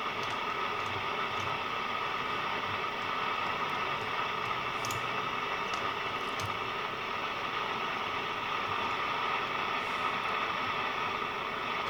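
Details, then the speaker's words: National Panasonic RQ-434DS 1970s boombox radio: steady hiss, no station, sharp crackles as the oscilloscope probe is moved; tuning the dial changes nothing, oscillator signal unclean, a faulty transistor suspected. "and tuning it through the dial makes no difference whatsoever so we have to find [Applause] one of these transistors which is faulty"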